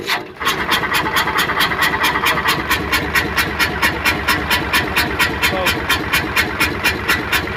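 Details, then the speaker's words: Hino Euro 6-cylinder diesel truck, also misfiring, smoking and backfiring on throttle: sharp regular chuff about twice a second over idle, whistle-like, still present after repairs, heard from silencer side; compression escaping through blown head gasket. "आवाज आवाज अभी भी आ रही है और छुप-छुप कि आवाज आ रही है जैसे सीटों की आवाज होती है"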